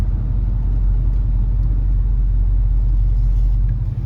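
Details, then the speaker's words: 1968 Ford LTD Brougham 390-2V V8 after rebuilding its Motorcraft 2100 carburetor, with Flowmaster exhaust: deep, even idle rumble with no misses or stumbles. "So, seems to run really nicely now. No misses. You can hear the idle sounds perfect."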